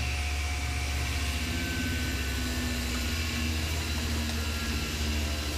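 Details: Tormach CNC mill clearing a 1.5-inch aluminum pocket with a single-insert hog shear plunging wide at 20 in/min feed: steady cutting hum and whine whose pitch sags slightly as the spindle bogs under the heavy cut.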